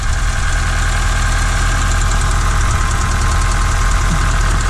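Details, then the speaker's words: 2009 Hyundai Accent just after resetting the timing belt, which had jumped teeth causing crank-no-start: steady low idle with a faint uneven thump, a slight shake of unknown cause; rough idle. "feels like it has a little bit of a of a shake to it now i mean i don't know where that came from but i mean it's running"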